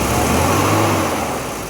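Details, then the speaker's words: BMW E30 M10 engine after misfire repair; smooth even note holding steady, no stumble or knock, stable at all rpm. Normal running. "stabil di semua RPM. Mantap."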